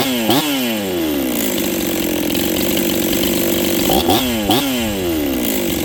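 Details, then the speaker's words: Rebuilt Husqvarna 266XP chainsaw with a new top end installed, on its first run with final carb settings not yet done. It idles, then each blip climbs slowly off the bottom before screaming up, a lazy pickup from the untuned carb. "flipping the throttle you guys can hear it's a little lazy off the bottom"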